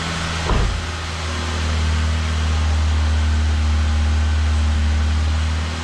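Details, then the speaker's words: Start-up after the exhaust back box was bolted to the centre pipe, having been left unbolted, on what is believed to be a standard exhaust: catches and settles into a steady, even low rumble with no rasp or blowing. Much quieter than before, and the exhaust sounds sealed. "So that's now much quieter than before. But it's a nice sound to say that at this point we haven't done a lot of work to the engine. It's pretty good."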